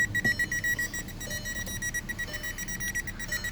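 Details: 2012 Volkswagen Jetta no-start, dashboard lights flashing, converter box replaced, now no communication with any module: fast steady chime near 2 kHz about four times a second continuously; owner suspects a bad bus line.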